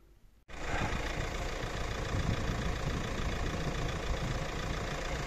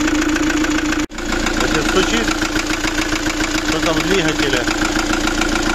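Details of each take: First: Fiat Doblo 1.9 JTD diesel (Opel Z19DT) after a capital rebuild for engine knock, with a scored cylinder and piston marked by a valve, plus a new clutch; warming up: starts cleanly, even steady idle with no knocking. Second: Fiat Doblo 1.9 JTD (Opel Z19DT 1.9 CDTi) diesel idling with a steady hard knock, about three or four a second. An endoscope showed scoring in cylinder 1 and a likely valve imprint on the piston: scored bores, damaged piston and broken ring.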